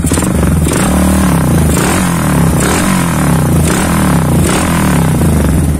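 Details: Suzuki Satria FU with a WRX K3 exhaust, just after the glasswool silencer packing (about eight months old, sounding tinny) was replaced: a deep, full note that swells and drops cleanly with each throttle blip, with no rattle or buzz. Normal exhaust.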